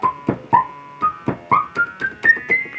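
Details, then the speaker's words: 1974 Minimoog with the envelope turned down. Each key press gives a short bright ping that rises up the keyboard, filter ping. "we have to turn our way down you can hear that little ping in the filter real good"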